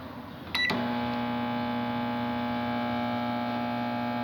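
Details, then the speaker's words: Microwave oven after replacing the high-voltage capacitor and diode, with the fan disconnected because it vibrated: steady low, clean transformer hum with no crackle or buzz; normal. "solamente está escuchando el transformador el ruido normal"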